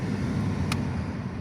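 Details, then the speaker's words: Škoda Fabia 2 heater blower tested after replacing the heater blower resistor. Steady, even air rush with one small click, blowing at settings 4, 3 and 2 and weaker on 1, with no rattle or squeal. Normal blower operation, repair works. "3 fúka. Na 2 fúka. Na 1 slabšie. Takže dobre."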